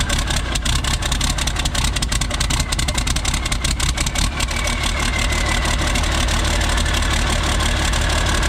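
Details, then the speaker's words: Isuzu cab-over diesel, cold, open straight pipe off the turbo: it runs rough and smokes when a wiring harness is plugged in and runs smooth when unplugged. Uneven, stumbling idle; cause unknown. "I plug this in, it starts running rough and smoking. So I'm not really sure what's up with that."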